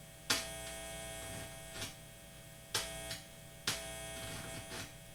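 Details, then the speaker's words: Guitar with the Bob button reinstalled keeps humming; the owner suspects the button or chip. A constant low mains buzz under sharp clicks and handling knocks; cause unconfirmed. "yeah I can't seem figure out why I can't make this work without humming there seems to be a lot of interference"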